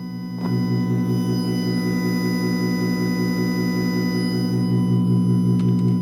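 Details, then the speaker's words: 1986 Panasonic RX-FD80 boombox with cassette play engaged and no tape inserted: a steady low mains-type buzz with a pulsing hum comes through the speakers, absent on CD, radio and line-in. It is electrical interference; owner suspects dirt inside or a bad capacitor. "so yeah there's some kind of an electrical interference I don't know maybe there's something inside that I need to clean or a capacitor went bad"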